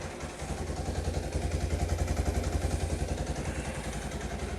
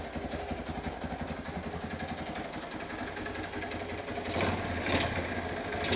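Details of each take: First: Kawasaki KLT185 three-wheeler pulled from a snowbank after long sitting, first start: steady even single-cylinder putter about 3.5 beats a second, no misses or rattles; idling cleanly. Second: Kawasaki KLT185 three-wheeler single-cylinder engine, long-sitting, carb cleaned and gas added. Uneven, lumpy idle about two beats per second that stumbles and surges before stalling; owner suspects it ran out of fuel.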